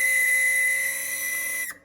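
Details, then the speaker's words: AeroGarden after a power outage: a steady high whistling whine for about 1.5 s, then abrupt cutoff; reservoir found empty although the lights show normal, pump likely running dry. "oh, it just made a quieter noise. Just stop making noise altogether. I don't know what that is, but it looks like the darn thing needs water."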